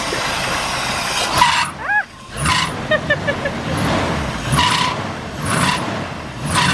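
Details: Chevy C10 V8, first start after sitting 10 years, running off a five-gallon gas can: an even low burble holds a steady idle with no ticking or stumbling. Idle is normal and healthy.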